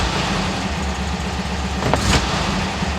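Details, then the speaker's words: 1967 VW Westfalia Bus after swapping the 009 for a correct vacuum advance distributor: steady idle rumble, and quick throttle stabs now rev cleanly and smoothly with no bog or power loss. Normal throttle response. "yeah i'm liking this distributor a lot more for sure so we're going to wrap up the video engine sounds nice uh to me uh nice and smooth stepping on it i now have a little bit different power than what i felt before i'm not bogging down i'm not losing any power"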